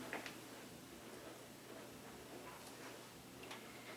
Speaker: you hear that sound did you hear that pinging that means their ceiling that is music to our eaters